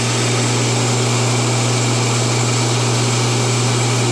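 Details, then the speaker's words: Rotary phase converter idler motor built from a kit, running a three-phase motor on single-phase shop power: steady even hum and smooth low drone, no hesitation or whine; normal running. "No hesitation, no weird engine whining noise. That sounds healthy."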